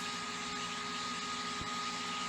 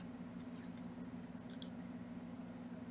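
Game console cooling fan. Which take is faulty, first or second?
first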